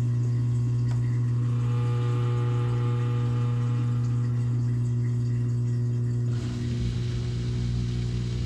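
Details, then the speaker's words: GE GDF520PSF6SS dishwasher drain pump after removing a plastic chunk that caused grinding, cycle cancelled: steady low hum with a faint whir, no grinding or rattling, pumping into the disposal; tub empty, running normally. "and I think it is empty so let's open it up and check it out sure enough no water everything seems to be working well"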